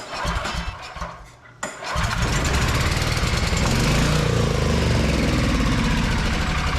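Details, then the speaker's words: Vintage Onan Pro6000E generator, 12.5HP Elite 140 OHV engine, long-sitting, fuel system cleaned, still producing zero volts at outlets; cranks briefly, catches at about two seconds, settles into steady even run, no hunting or misfire; normal running. "All right, got a good running. All right, we got a good running motor."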